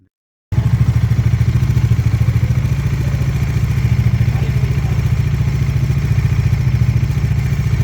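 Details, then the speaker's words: Bajaj Dominar 400 single-cylinder at idle after fitting a new cam chain tensioner: even, rapid beat with no tapping or rattle; smooth, quiet normal idle. "नया chain tensioner लगने के बाद की इंजन की noise, smoothness देखिए।"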